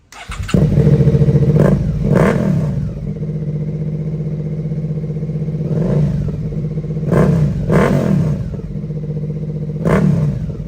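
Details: Rebuilt Suzuki SV650 V-twin: loud throttle blips rising cleanly, dropping to steady lumpy idle, crisp pickup, no rattles; owner finds it loud, prefers keeping dB killer in.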